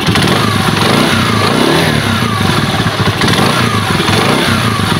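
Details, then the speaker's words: Rusi motorcycle one week after overhaul: single-cylinder blips that sag and stumble on throttle, nearly stalling, with hissy leak near exhaust; head gasket leak. "yung naririnig kong tunog dito mga idol may singaw dito po sa part na"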